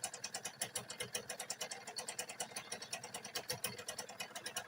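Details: Nova four-speed motorcycle at idle: a fast, even tapping about nine times a second, a steady knocking from the rear side of the engine, attributed to the clutch assembly.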